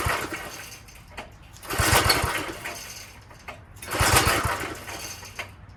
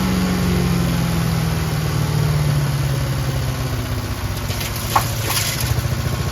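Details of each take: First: Old Craftsman tiller, small single-cylinder engine on choke; two slow rope pulls about two seconds apart spin it but it never fires, fuel-starved because the carb bowl, fed by a long pickup straw, is empty. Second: Craftsman chipper shredder with a heavy flywheel, on old brownish gas; it started on choke with one pull and gives a steady single-cylinder putter at constant speed with no misses or knocks. Normal healthy running.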